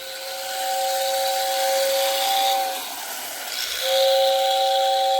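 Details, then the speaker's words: Old Lionel whistling tender, long non-working, behind a Lionel 2037 on a moving train after repair: steady two-note whistle over airy hiss sounds twice, strong and clean; now working well. "to be working quite well now [Music] so i'm very pleased about that because i've had that tender for quite a while and it never has worked"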